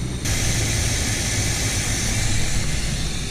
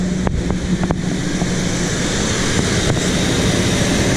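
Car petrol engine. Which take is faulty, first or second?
second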